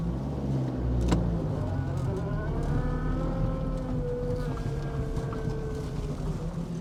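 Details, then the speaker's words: 1980 Mk1 Ford Fiesta 1.1L at first start after a long crank, running on choke, possibly with no coolant; it previously cut out after about 30 seconds. Steady, slightly fast idle with an even throb and no stumbling or cutting out. "this is actually running for a bit longer this sounds quite sweet definitely runs"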